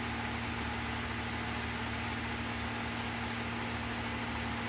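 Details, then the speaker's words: GE washer (not draining) in the inverter test spinning the drum of an overloaded, poorly kept machine with a wobbling drum: steady hum with a harsh rough noise that never settles. Worn, failing drain pump. "Horrible pump, listen to that sound."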